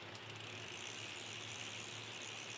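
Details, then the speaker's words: BMX hub coasting: fast, even buzzing tick of pawls, a smooth purr with no skips or grinding; normal healthy freewheel ratchet. "Listen to that thing purr."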